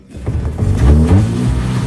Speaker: wow the power is really strong let's move forward and see doesn't that solve the problem look how smoothly the engine is running